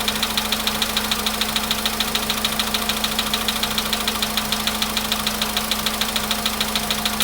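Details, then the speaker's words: VW Polo sedan at almost 100,000 km: sharp, steady ticking knock about three times a second at idle, even and persistent; it stops when raised to about 1500 rpm, cause not yet known. "Чтобы он совсем на холостых работал и долбил там."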